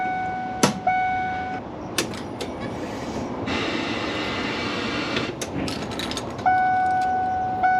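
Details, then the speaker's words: 2002 Ford E-250 van, engine just reassembled, ignition on before starting: steady high chime in long on-off stretches between clunks; warning chime from a dash switch held pressed by a nearby part. "I don't know why it's beeping now. [Music] Oh, that's why the little this switch was touching here."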